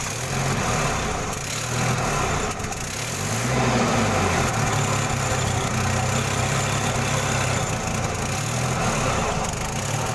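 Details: Jack H-20 series forklift, hard starting: small petrol engine chugs with a steady, uneven, rough, labouring sound.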